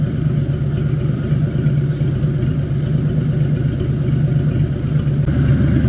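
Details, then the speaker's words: Abandoned 1950 Chevy 1-ton with a 216 inline six, first running: steady low idle with the earlier knock no longer heard; the water pump has failed, and the owner suspects the knock was a loose clutch part rattling. "guess good news though is I can't seem to hear the knock anymore so it almost self-healed"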